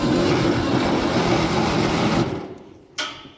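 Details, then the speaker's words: Cheap $300 auction tractor finally running after fixing a bad positive battery cable connection. A steady, even engine roar for about two seconds, then it dies away, with no knocks: normal running. "Sounds good. There we go. Finally got it."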